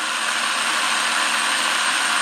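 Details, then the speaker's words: RC car, motor moved back out from a too-tight position: a steady, even motor hum with a mild high whine and no grinding. The final mesh with a small amount of gear movement is about right. "Can you see there, guys, how it quietens down? Now, if you keep moving it away, it doesn't get any quieter."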